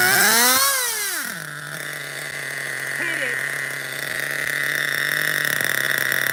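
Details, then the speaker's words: Vintage Schumacher XTR-3E nitro truck with a three-speed gearbox: the engine screams high, then the pitch drops into a steady lower drone as it shifts into third normally. It then ran out of fuel; a slight air leak is suspected. "it hit the three okay shut down we ran out of fuel guys it hit the three-speed I heard it you heard it"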